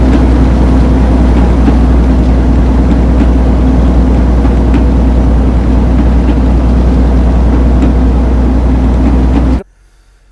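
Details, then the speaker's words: Transmission banging on a truck after 15 months and 160k miles, heard climbing Pennsylvania hills under heavy diesel load; rhythmic bang about three times a second, louder the harder it pulls and on inclines, getting worse until pulled over; covered by warranty. "Transmissions are not supposed to bang, right? And the harder I pulled, so on inclines, things like that, the louder the banging was."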